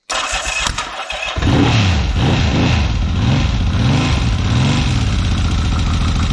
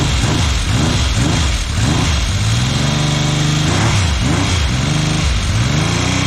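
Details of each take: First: 1979 Yamaha XS750S, rebuilt engine that failed within 50 km, now with new timing chain retensioned, wiring, fuel, carburetor and timing advance fixes; fires quickly, light blips, then steady even idle with no rattle or chain slap. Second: 1979 Yamaha XS750S, rebuilt engine with new timing chain, first start: rough uneven running, not firing on all cylinders, revving with light rattle; chain noise from cam chain tensioner not preloaded correctly.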